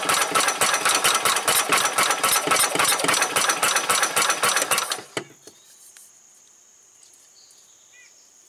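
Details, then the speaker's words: 1990 Club Car golf cart engine, battery nearly dead: fast fairly even chugging about four per second for five seconds, then dies; won't keep running; wrong replacement carburetor suspected and fuel filter not filling, fuel pump failing. "okay well I finally got it to fire a few times I don't know if the camera recorded or not I took the air filter housing off and I believe that carburetor is not the right thing for this"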